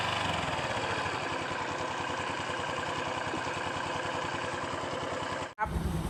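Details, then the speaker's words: 2011 Honda Wave 110i, brand new, only 1,000 on it, ridden hard before break-in: fast, even knocking over the small single's idle, following engine speed; scored piston slapping in the bore, since replaced. "วิ่งได้1,000ครับแล้วนะครับมีเสียงตังในเครื่องยนต์ดังๆเดี๋ยวผมจะเอาคิดเสียงให้ดูแล้วกันน่ะ"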